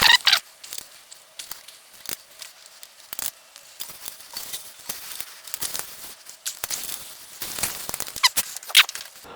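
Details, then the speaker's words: HUP Featherweight youth XC carbon race bike with Shimano XT brakes, after rebuild; light repeating scrapes and squeaks each wheel turn, caliper still needs centering, disc brake rotor rub. "Will it work though? Million dollar question. All right. Clearly that needs centering still."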